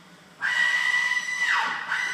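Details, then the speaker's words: 2011 Ford F-150 failing electric power steering (EPAS) rack, truck struggling to move: loud piercing screech holding, dipping in pitch and returning, like something dying under the hood; power steering assist fault warnings shown. "I'll show you how it sounds at first and then once it totally starts failing it it just starts screeching like you're you're kill something under the hood"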